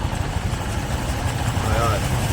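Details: Honda Click 125 scooter with a noisy CVT: low steady idle with a brief thin squeal rising as revs pick up; a dirty belt is slipping on the pulleys, fixed by cleaning the CVT, after which it runs quiet.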